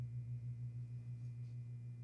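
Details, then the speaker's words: Lasko Wind Tunnel fan after motor housing reassembly. A steady low electrical hum is heard with no rotation, so the motor is energized but stalled. A capacitor fault or an assembly error is suspected. Motor hums but fails to start. "Well, that doesn't work. It's even worse now. It's making a noise,"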